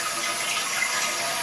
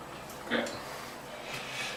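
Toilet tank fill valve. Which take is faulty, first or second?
first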